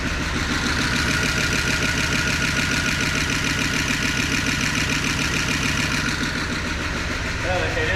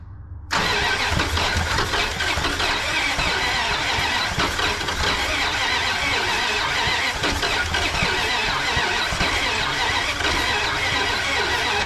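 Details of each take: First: 1988 Dodge Power Ram after 23 years of sitting, at about 35°F. It has milky oil but holds oil pressure, spits water from the exhaust, and the idle is raised slightly. Even, steady V8 burble: normal, super smooth idle; owner thinks the penetrant freed the rings. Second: 1988 Dodge Power Ram that sat for 23 years, first started after being freed from locked-up cylinders and fitted with a new intake, choke off. Busy, clattery, rough idle that is a little noisy; it needs an oil change. Cause unclear.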